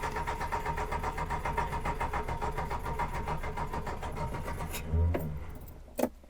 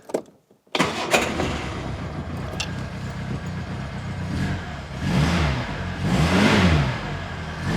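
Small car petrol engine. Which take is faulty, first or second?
first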